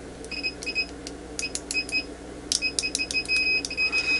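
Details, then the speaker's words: UNI-T UT8805E 5½-digit bench multimeter in continuity mode with beeper on: short high beeps cut in and out with a scratchy crackle as the probes touch; very fast, unlatched continuity response working normally. "the response time is definitely very fast and you can also see it from the update now the measurement doesn't seem to be latched as you can hear the scratchy sound when I touch the probes"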